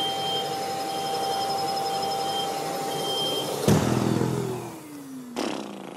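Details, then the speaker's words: Bosch GAS 35 M AFC wet/dry vacuum, hose removed and inlet capped to test airflow monitor: repeated short high beeps over steady motor roar, then two sharp thumps; low-airflow alarm for blocked inlet plus automatic filter-cleaning pulses. "Bon alors, tu vois, le bruit qu'il a fait, là, quand il s'est éteint ou quand il a tourné, c'est le décolmatage du filtre. Donc quand j'ai appuyé là, c'était pour couper cette option. Et tu as vu, très peu de temps après, le signal sonore s'est mis en route pour te dire qu'il y avait un problème, quoi."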